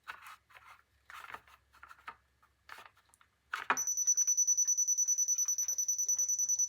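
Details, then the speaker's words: Dovoh DR1 laser level receiver clamped on, detecting the line: after handling noise a shrill high beep repeats quickly and evenly, about three per second, signalling the receiver sits below the line and should move down. "you can hear it beeping it's starting to see the the line and it wants me to go down a little bit yet"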